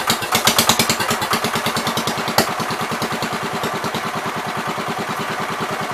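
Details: 1973 John Deere 110 after carb cleaning: slow lumpy chuffing about seven beats a second with uneven sooty pulses, overfuelling; owner says gas runs straight through the carb and suspects the needle.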